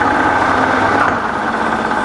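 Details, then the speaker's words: Fully rebuilt Bridgeport belt-drive mill, twin-speed motor run in slow then high motor range with the head gear in high range: even steady hum, no knocking or grinding, quiet in both ranges; spindle and bearings healthy. "the motor has two ranges are in the slow that's the slow and then we'll go up to the higher range and here it's nice and quiet in both ranges okay"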